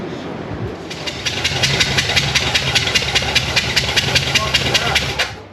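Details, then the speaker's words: 1978 Chevy C10 big-block drag truck with freshly built carburetor, one spark plug left out: sharp rhythmic puffing hiss, a few chuffs a second, over a rough idle as the cylinder blows through the open plug hole; dead miss. "oh it's missing spk look oh my God I got that on camera"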